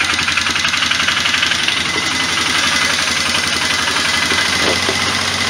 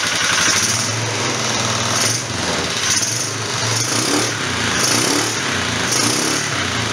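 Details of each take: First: 1998 Polaris Big Boss ATV, 500 engine, original carburetor already cleaned, choke fully on; loud, uneven engine beat about four pulses a second with ragged edge; runs rough, stumbles when choke closed, only keeps going on choke. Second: 1998 Polaris Big Boss 500 running with a slide carb replacing the CV carb: picks up cleanly on several sharp throttle blips and drops back to a steady idle without stumbling; healthy fuelling.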